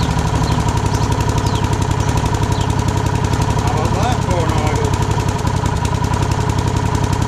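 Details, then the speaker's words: Rover Combat mower with new blades fitted, stone-cold start on choke: engine holds a steady, even beat with no misfires or hunting; runs nicely, normal running. "Is running very nicely. So that's another one sorted, ready to go."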